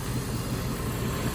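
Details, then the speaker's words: After Idle Air Controller replacement on a 1994 Jeep Grand Cherokee ZJ 5.2L Magnum, the engine catches at once and settles into a smooth, even low idle with no dips or stumbling. Normal start and idle; the new IAC was the fix. "I got that figured out. Let's go ahead and see if it'll start now. Yep, fired right up, no problems."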